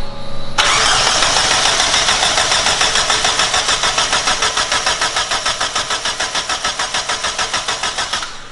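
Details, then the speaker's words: Mazda Miata first start attempt after rebuild: starter churns steadily about three and a half beats a second for eight seconds, never catches; no spark, suspected coil connections, fuses or unplugged relay. "nothing huh nope she's dead"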